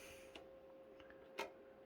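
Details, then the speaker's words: PlayStation 2 SCPH-30001 optical drive clicking badly and failing to read discs; bad laser rather than board, fixed by a simple laser swap. "simple laser swap yeah you can hear it clicking pretty bad this one don't read the CDs"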